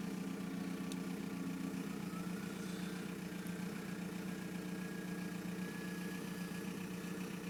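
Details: 1999 VW Golf Mk4 GT TDI AHF diesel with loud turbo, long start-up: uneven lumpy idle with slight stumbles in rhythm; rough idle, cause unclear.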